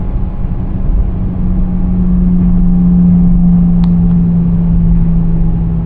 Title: 2017 Nissan Sentra SV humming noise while driving